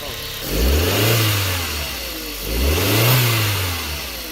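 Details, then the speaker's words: 2001 Mk4 VW Golf, 1.8T AWP turbo engine, stock exhaust before removal, hood open: two clean blips from idle rising and falling smoothly with faint turbo spool whistle on each; normal revving. "hear that little turbo spool? One more time, bro."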